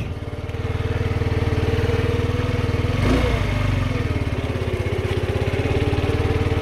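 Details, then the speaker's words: Kymco Agility 50 scooter, electric starter only clicks, kick-started: starts first kick but small two-stroke idles lumpy and lags before settling, slow to reach idle. "Quart de tour par contre il monte pas vite au ralenti."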